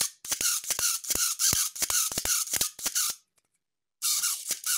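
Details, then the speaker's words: Canon camera with a governor unopened for 40 years: rapid sharp high-pitched chirps with each mirror cycle, the so-called shutter squeal, actually a dry mirror damper governor needing lubrication. "it's never been opened in 40 years so it's pretty much dry and it causes that horrific sound which is the infamous shutter squeal that's not actually the shutter squeal is the mirror dampener uh being dry and needs just like a screaming for some lubricant so this is how it sounds"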